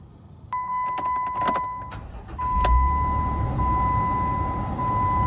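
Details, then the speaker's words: 2010 Jeep Wrangler JK, hot engine, after replacing the number six spark plug wire for a misfire: it starts quickly and settles into an even, smooth idle under the door chime, with no rough startup. Check engine light still on. "That seems to run a little bit smoother. I don't have that rough startup anymore."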